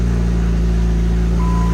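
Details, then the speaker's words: SRT-4 first fired up after a rear end rebuild, now with a straight-pipe exhaust: loud, deep, even rumble with a steady beat and no knocks or rattles. The cam is clearly audible, a normal healthy idle. "It's just a straight plate. You can hear that cam a lot better with the straight pipe."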